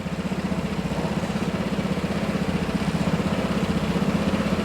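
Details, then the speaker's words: Vespa GTS 250/300 scooter just after an oil change with dipstick installed: even, steady putter of about four beats a second, no knocks or rattles; the oil light goes out as oil pressure builds. Normal idle. "And you can oftentimes hear the motor note change just ever so slightly when that oil light goes out, when it builds up pressure. That's a good thing."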